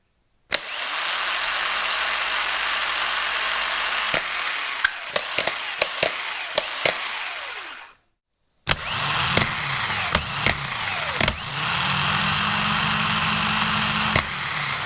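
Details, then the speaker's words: Porsche 944 starter motors bench-tested on jumper cables: the original worn starter whines noisier, rougher and sluggish with an uneven spin-up, while the new IMI high-torque starter spins quick and smooth. "I did just bench test both of these, and the original starter is quite a bit noisier, and the action is a little bit sluggish and not very precise, whereas the new one is very quick and smooth."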